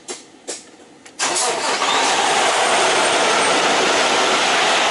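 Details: Kenworth T680 diesel restarted after oil and filter change, engine already warm: a couple of starter clicks, fires within a second, steady smooth idle with no knocking, oil pressure rises quickly; healthy start.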